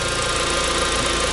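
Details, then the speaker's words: VW after power steering pump replacement, bleeding at idle, turning lock to lock: steady hum with faint groaning pump whine; fluid full of bubbles, air still trapped, keep cycling until bubbles stop. "lot of bubbles in there then we'll go back and do the same thing back and forth until you stop getting bubbles"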